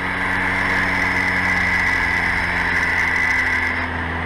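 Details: VAZ 2106 carburetor engine after idle repair, idling around 900 rpm: steady, even idle with a smooth constant hum, no misses or knocks; normal idle.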